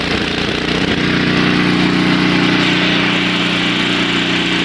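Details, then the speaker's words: Two-stage snowblower, four-cycle engine, warming up with the choke moved off a second notch: engine smooths out from its sputter into a steady, even idle with no hunting, ready to take the choke fully off. "you'll hear that the engine is smoothed back out now finally i think that the engine is ready to run smoothly so i'm going to take the choke off all the way"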